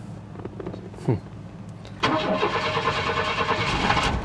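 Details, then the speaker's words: 1994 Chevy Blazer bought cheap with issues, first start: after a few cranks it catches into a lumpy, stumbling idle like running on two cylinders, gradually improving; rattling up front, cause not confirmed. "oh oh oh that is rough let's go take a look it's running on like two cylinders at idle"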